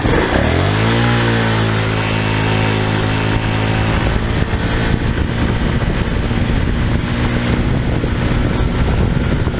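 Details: Tao Tao scooter at almost 3,000 km, running with the stock airbox filter refitted after removing a high-flow cone filter: revs up cleanly and holds a steady, even drone with no misses or knocks, running normally.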